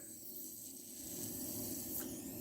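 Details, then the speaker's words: CompAir mobile diesel compressor radiator pumped up with air and leak detector fluid: thin, steady hiss escaping from a crack in a groove of the brass core, to be soldered; radiator crack air leak hiss. "yeah our crack is right down in this groove here you can even hear"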